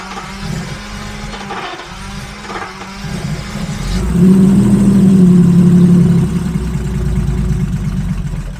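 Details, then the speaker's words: Abandoned Jaguar XJRS V12 on makeshift fuel supply, tested at full fuel pressure with regulator bypassed: uneven lumpy running that swells with throttle then sags; flooding right away, running far too rich, cause still unknown, ECU temp sensor trick made no difference. "Doesn't seem that happy, but we'll try and fire it up with full fuel pressure. So if that regulator, if that was the issue, then it should run about the same. It's definitely getting flooded right away."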